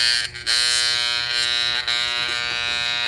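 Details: Vintage Hamilton Beach electric hand mixer, opened up and cleaned: harsh, steady electric buzz with brief dropouts while the beaters barely turn. The mechanism is stiff and the motor strains; cause unknown, a small loose part fell out.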